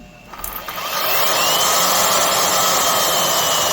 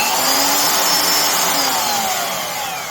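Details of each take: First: Craftsman 12 A (1440 W) variable-speed router, Skil-built with no motor bearing pretension: steady high motor whine sagging and recovering with a rattly edge; bearings rattling, spindle moves in and out, worn loose spindle bearings. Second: Craftsman (Skil-built) 14 A 1680 W router after bearing pretension fix, on the table: soft start, high whine climbs smoothly to speed then coasts down with no rumble or grinding; normal soft start, bearings healthy.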